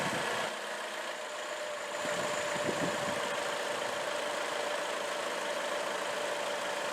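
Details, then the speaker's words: 2004 Chevrolet Classic, GM L61 Ecotec, budget-overhauled at 250,000 miles, then developed a knock; first start after the repair and reassembly catches and settles into a steady, even idle with a faint whine and no knocking, later confirmed fixed. "I have good news I fixed it it works perfectly"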